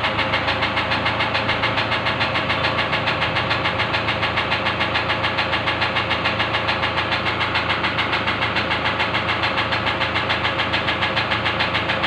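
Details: Loud, even knock about three and a half per second, steady over the engine idle; suspected injector knock, not confirmed.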